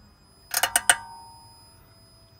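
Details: 2019 Peugeot 3008 Hybrid4 shifting from reverse into drive: four quick metallic ticks in under half a second, then quiet; owner suspects something in the brake, not confirmed.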